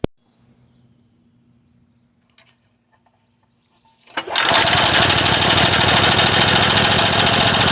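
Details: Craftsman 3.5 hp edger/trimmer that starts then stops: quiet, then a harsh high rev that keeps running but uneven and ragged, showing a partial carburetor blockage; fixed by carburetor cleaning.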